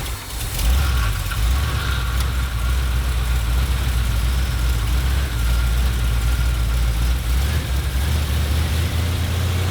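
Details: 1977 Ford F-250 460 V8, first start after 19 years and an engine fire. Deep, uneven, lumpy idle with no clean rhythm. It runs only with the distributor pegged fully to one side; may need retiming.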